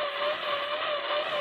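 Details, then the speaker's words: Icom IC-7000 HF receiver: steady warbling tone with noisy hiss, pulsing slightly, rising and falling in frequency across whole upper HF band, continuous 24 hours for a week; owner suspects a neighbor's treadmill or motor. "just alternating and frequency high and low goes faster and slower and uh it's been on continuously 24 hours a day"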